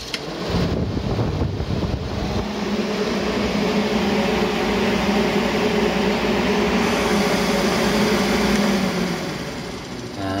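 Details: 1990–95 Ford Taurus 3.8 two-speed electric radiator fan bench-tested in free air on low speed, about 11 A, fully charged battery: smooth even whoosh with steady hum, no ticking or rubbing; healthy.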